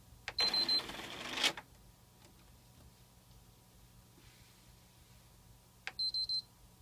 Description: Hello Everyone as you can see i am having a issue with my ps3 it keeps making this weird grinding noise when i try inserting the disk